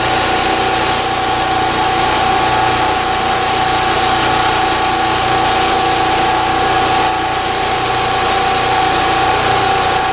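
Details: Champion 3650/4500 generator with original spark plug, about a thousand hours, after 30 more hours of hurricane outage use: even, constant-speed drone with no stumbles or knocks; running smoothly.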